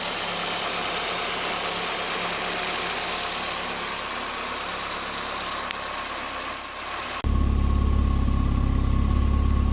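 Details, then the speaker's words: Rebuilt Starlet ("Starlie") at its first engine start after most of the wiring was sorted. Light, quick, even injector ticking, about four a second, over a smooth idle, then a louder steady run; normal injector tapping. "And I hear the injectors tapping. We're letting in a very small amount of fuel in for each cylinder."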